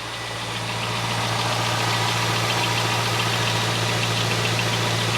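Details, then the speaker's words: 2001 C5 Corvette V8 after repairs fixing squeaky belts: fired right up with no dash warnings, smooth even idle with steady low drone and no belt squeal or chirp; normal idle. "it sounds like it's running beautifully there's no more squeaky belts"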